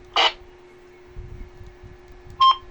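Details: Baofeng UV-3R Plus handheld radio, 14 years old, after disassembly and repair, transmitting on UHF: two short electronic beeps about two seconds apart over a faint steady tone; normal transmit beep tones.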